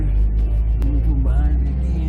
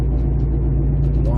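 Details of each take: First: 2008 Jeep Compass at about 70 mph after replacing the front passenger-side wheel bearing: steady low road rumble and wind only, no hum, growl or rhythmic whir from the front wheels; new bearing running quiet and healthy. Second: 2008 Jeep Compass, front passenger-side wheel bearing, heard while driving: a low, steady hum and faint rising whine under road rumble that nearly goes away when cornering unloads the bearing; returned after tightening a loose bearing nut; worn wheel bearing.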